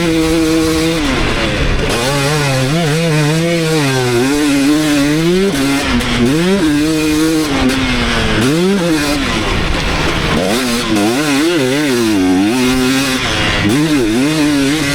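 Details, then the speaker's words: 2019 KTM 250SX two-stroke with Lectron Billetron 38 Pro carb on track after torque jet adjustments: clean revving through the range, practically no detonation, maybe a tiny ping or two late in session as bike got hot; owner considers an eighth turn more on the torque jet. "all right so I think I really hit the sweet spot that last one pretty much no detonating anymore maybe just like one or two times I heard just a little tiny bit like towards the end of the session when the bike was getting hot"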